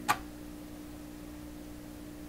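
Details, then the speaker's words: 1928 RCA Victor Model 28V radio with replacement 226 tubes being tried; with the signal removed, a low steady hum remains, coming from the radio rather than the power amplifier. "that's killing the modulation on the signal you just hear the hum now take the signal right off"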